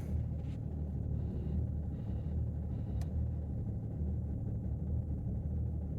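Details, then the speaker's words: 2008 BMW 330d, cold start around 10–12°, excessive smoke and lumpy idle for the first minute, glow plug activation fault: deep diesel idle with a slight regular lump felt through the seat; rough cold idle, glow plug fault. "A little bit lumpy. Uh I can feel it sort of sat in this seat."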